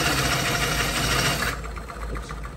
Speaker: perfect example when you don't spin the bowl backwards that knife goes in and hits some of those shavings and then just won't cut